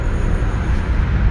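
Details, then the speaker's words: Land Rover Series III Lightweight carburettor engine misfiring at idle: pulling plug leads shows cylinders three and four make no difference, so it runs on two cylinders with a rough, lumpy uneven tick-over; plugs wet and sparking, cause unknown. "straight away but it's obviously running with a misfire so pulled the leads off one by one to see which lead makes a difference and number four and number three don't make a blind bit of difference so the lion row is basically running quite happily on tick over on two cylinders"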